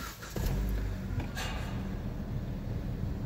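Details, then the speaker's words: 2017 Dodge Journey, started slightly warm during a pre-purchase inspection: brief crank, catches cleanly and settles into an even idle, revs not hunting; healthy start. "слегка прогрета обороты не гуляют работать ровно завелась хорошо"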